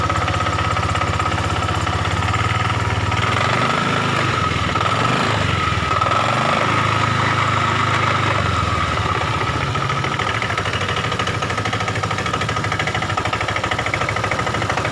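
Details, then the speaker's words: Honda Vario 125 Techno scooter at idle, no warning lamps; loose, uneven clatter from the CVT belt drive, about three knocks a second, fading as throttle rises and returning at idle; worn front pulley roller housing. "jadi ada bunyi klotok-klotok di bagian daerah sini teman-teman bisa denger ya pada saat posisi idle RPM dia bunyi tetep"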